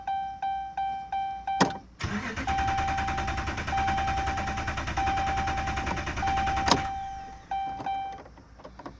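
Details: 2011 Dodge Ram Hemi won't start: door chime, then about five seconds of steady even cranking that never fires or catches. Cause not stated.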